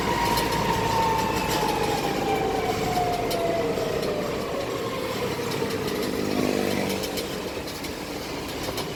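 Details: Modified Hino Dutro 4x4 double-axle truck on test drive: clear gear whine over drive noise, falling in pitch as truck slows; transfer case noise, needs workshop readjustment or replacement of transfer case.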